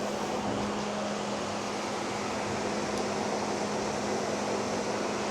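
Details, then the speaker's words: Electric engine cooling fan switched on through a ThinkCar ThinkScan 672 bi-directional scan tool test: a steady, even airy whoosh with a faint constant hum, showing normal cooling fan operation. "If we wanted to We can turn it on for testing. Should be able to hear it's kicked on now."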